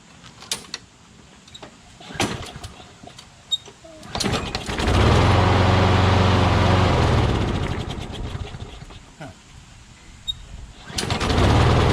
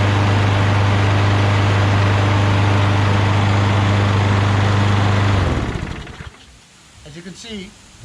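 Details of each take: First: Craftsman push mower with crankcase oil way overfilled, smoking badly, oil in the muffler, suspected hydrolocked. Engine surges up then sags in uneven bursts while holding throttle, so the carburetor seems okay; rough running from overfilled crankcase oil. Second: Craftsman push mower after draining overfilled oil, clearing debris from the air filter base passage, cleaning the carburetor and adjusting rpm; previously smoked and ran rough: steady even single-cylinder drone, no misses or surging. Finding: normal running.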